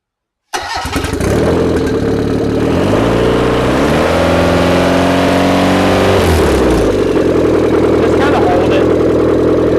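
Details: Newly built carbureted turbocharged Mazda B6D engine, first run: catches quickly, revs smoothly, settles to a steady even idle with no knocks or misses.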